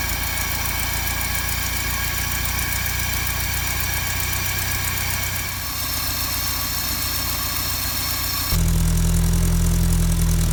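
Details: 1955 Land Rover Series One petrol engine, freshly rebuilt after about 50 years standing, first start-up with rebuilt or replaced SU fuel pump; steady, even low idle without knocks or misses, then a smooth step up in speed, running cleanly.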